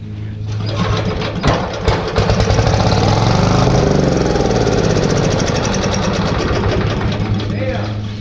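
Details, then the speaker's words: Briggs & Stratton 531cc engine on a Lincoln Electric Weldanpower welder, left untouched for decades, rope-pulled on starting fluid. It gives rough, uneven firing over a deep rumble that swells then fades. It catches briefly, then dies without taking fuel; cause not confirmed. "that took a second to fire up but it fired and that's insane to me that it even fired away like that"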